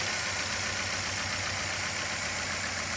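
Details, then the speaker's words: 2012 Nissan Altima 2.5 S, 2.5 L engine idling with a lumpy, unsteady loping skip under a loud hiss: dead cylinder traced to an open injector wire; spark plugs look brand new, coils tested good; fix is repairing the wire. "I found an open injection injector wire will repair that wire and this thing will probably be good to go because from the looks of it the spark plugs are brand new"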